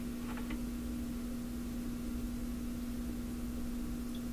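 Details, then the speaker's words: Addison five-tube radio back in its cabinet: steady low mains hum at one even pitch, audible 5-6 feet away, same as before; cause not yet found, attempted hum fix possibly broke loose. "Well, it's humming. What can I tell you? It's humming. It sounds the same as it did just going in and out of the cabinet."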